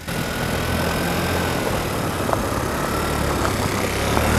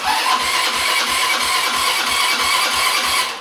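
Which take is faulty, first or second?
second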